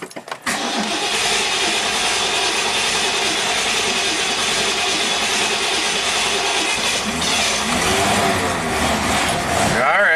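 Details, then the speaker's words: 1969 Ford Mustang Mach 1, carbureted with automatic choke, sat for years, after fresh fuel and filling the carburetor: a few cranks, then it catches into a loud, steady run with no misses. It just needed gas. Normal start and idle. "Here we go. Woo! It works. just needed gas."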